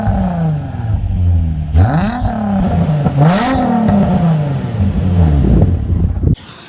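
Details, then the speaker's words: Car after replacing an exhaust that had a blow, microphone underneath: deep, smooth exhaust rising and falling cleanly through several throttle blips with no rattles or leaks; a healthy exhaust. "You know what? I'm really quite pleased with how that sounds. That sounds way nicer, way nicer."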